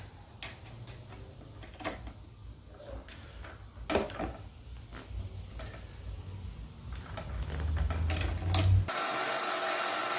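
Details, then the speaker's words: Razor Black Label E90 scooter hub motor running with a rough low growl and scattered clicks that get louder with speed. The bearings are suspected to be shot, and the hub motor was replaced under warranty. "That sounds terrible. I think the bearings are shot."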